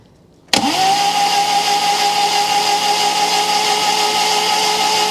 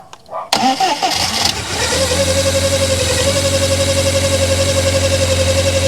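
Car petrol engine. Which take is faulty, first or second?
first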